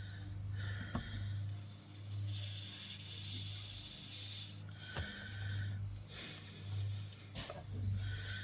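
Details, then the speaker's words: Car tire, jacked up on a stand after airing up, punctured by a long screw: strong bursts of rushing hiss with pauses, air escaping fast through the hole; tire air leak. "I can hear it starting to leak. I moved it a little bit and I plug I think I plugged it up but yeah if you can hear it on camera but I can hear it."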